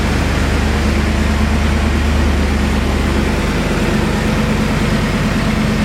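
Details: BMW E39 M5 V8 after rebuild and cleanup, cold start recorded on the camera's built-in microphone: loud, even low rumble at settled idle with no knocks or ticks; running healthy from cold.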